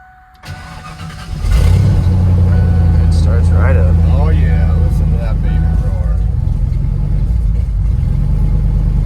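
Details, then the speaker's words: Ford F250 after new ignition cylinder and battery cables: engine catches into an uneven, lumpy, wavering idle, running rough, cause not found; battery light on, owner suspects a bad alternator. "you can hear it's running rough now I'm going go ahead and shut her down"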